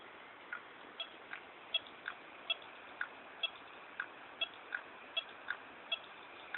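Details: New Seagate ST9320421ASG 320GB hard drive during a full antivirus scan while moving large files to a network folder: sharp light ticks about eighty a minute, unevenly spaced, over faint hiss; clicking, firmware then updated to DE17, fix unconfirmed.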